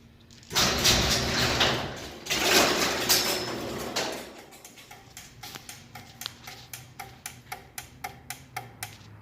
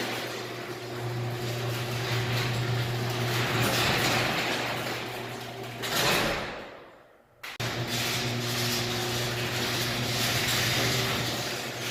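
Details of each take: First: Garage door opener clicks about twice a second after a brief run and the door won't close; a dirty safety sensor lens from years of debris buildup blocks the sensor signal. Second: Garage door opener closing after the safety sensor lenses were cleaned of dirt; previously the door reversed before fully closing. Steady motor drone with low hum as the door travels, short quiet stop, then even run again; no binding, operating normally.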